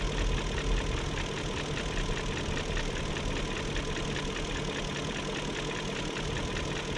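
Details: 2001 BMW E38 740i Sport V8 idle: light fast ticking two to three per second over steady idle after new timing chain guides, tensioner and oil distributor gaskets; no codes, injectors audible; owner suspects VANOS unit, unconfirmed.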